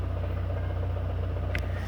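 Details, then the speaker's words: Chevrolet Classic (Corsa) 2013 idling: a low rumble with a fast pulsing rattle near the gearbox that stops when the clutch pedal is pressed and returns when released, ruling out the clutch release bearing. "o barulho quando você solta aparece o barulho aí"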